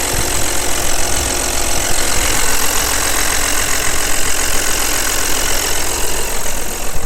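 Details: Audi allroad engine at idle: constant loud idle with a harsh, rattly clatter over the engine note, noisier than it should be; cause not evident. Excessive engine noise.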